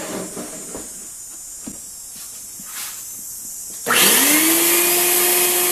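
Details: Craftsman 12-gallon wet/dry vacuum, given away free: the motor kicks in with a rising whine, then a steady high siren-like hiss with strong suction; the motor runs fine.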